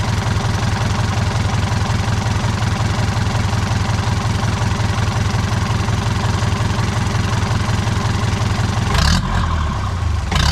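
Diesel settles into a steady idle of about three beats a second, even and unforced, with a brief rev near the end.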